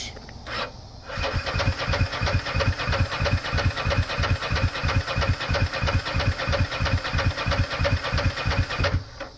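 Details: Ducati ST4S that died on a shakedown ride and won't restart: starter cranks evenly at about three beats per second but it never fires. Injectors aren't firing, fuel pump not kicking on, electrical fault suspected.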